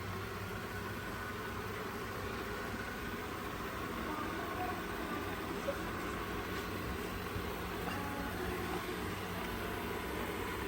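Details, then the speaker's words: Old Ecovacs Deebot robot vacuum after new battery, filter and brushes: soft even whir of suction motor and brushes with no clicking or grinding; it runs healthy. "Yeah, but Mommy, usually that noise starts right now. Yeah, let's let it run. See how it does."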